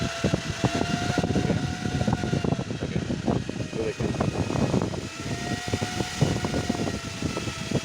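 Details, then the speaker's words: Car with engine misfiring and jerking: an added electric cooling fan on accessory power, its steady whine fading and returning as its speed drops on releasing the clutch pedal. The cause is a broken ground wire from the battery negative to the body. "ये देखें friend एक speed पे चल रहा है इसकी sound में अपने गौर करना है जैसे मैं क्लच पैदल दबाऊंगा जैसे क्लच पैदल में रिलीज करूंगा तो स्पीड कम होगी"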